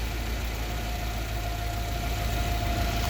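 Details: Yale GLC050 forklift, Mazda F2 throttle-body injected engine, after new injector for lean-at-idle code 522: smooth steady low idle, even beat, no misses or hunting; normal idle.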